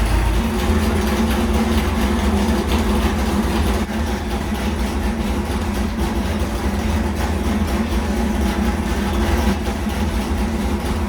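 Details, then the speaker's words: New 406 small-block Chevy nitrous street engine for a Malibu, being tuned on the dyno: a deep, even V8 rumble holding steady with no knocks, ticks or misses; sounds really good. "what do you think on Bob it sounds awesome it sounds really good sounds really good"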